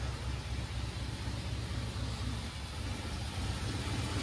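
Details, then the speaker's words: 1953 Pontiac Chieftain in below-freezing temps, finally running after 20-odd start attempts (no choke): old engine ticks over cold with a low, steady exhaust thump and no misses or knocks. Normal cold idle once lit. "let's just let her idle it she'll idle now looks like she will all right she's running she runs"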